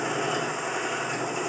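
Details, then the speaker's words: Woodturning lathe, hollowing a vessel with Kelton tools and rig, tool resting on the tool rest: steady hissing scrape of the cut going back and forth, smooth with no chatter; clean normal cut. "And then you can hear as I cut. It's just a matter of just cutting back and forth, just going back and"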